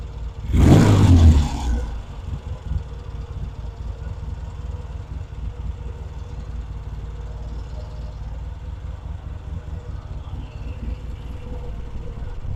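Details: Vintage British motorcycle rebuilt from boxes, pilot circuit now working properly: one quick throttle blip, then a low, steady idle holding even without hunting; carburetion sounds right, normal running.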